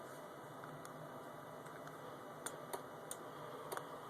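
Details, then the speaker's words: VW HID headlight troubleshooting, passenger side: relay clicking sharply about twice a second, unevenly spaced; only the city light comes on, the projector HID beam stays off. "you can hear the relay clicking and as you look you can see oops just the city the city light as they call it but fortunately not the actual headlight"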